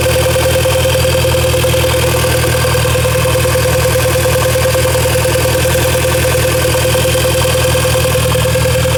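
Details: VW Golf Mk5 GTI at idle: loud steady idle with a fast, fairly regular ticking chatter around three per second over a constant mid tone; abnormal engine noise of unknown source, owner unsure if normal.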